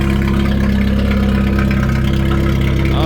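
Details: 1991 Jeep Wrangler YJ 2.5L four-cylinder, muffler previously cut off, first start after new battery and coolant top-up: loud raw low-pitched idle drone with harsh steady pulse, no muffling; exhaust running open without muffler.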